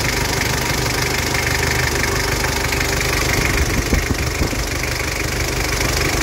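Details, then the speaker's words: 2012 Mazda BT-50, 2.5 TDI turbo diesel, mechanical injection pump, 135,000 km, idle: even diesel clatter with no stumbling or dropped beats, turbo working; healthy normal idle. "garing mesin sangat mantap pemirsa tooksare tidak pincang Turbo juga bekerja"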